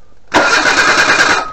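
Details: 1988 Suzuki Vitara 1600 wide boy auto, off the road since 2004, cranked during a spark check with a remote starter. A brief burst of quick, regular cranking stops after about a second with no catch; the spark proves good and no fuel is suspected.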